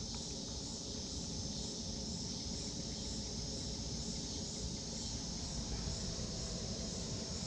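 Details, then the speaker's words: Planar 44D diesel heater mounted in a sound-insulated Alubox for portable tent camping, running on its lowest setting: soft, even whoosh with a faint steady pulse and no knocks or rattles; running quietly and normally. "so i don't know if you can hear that now that's what it's like on its lowest setting"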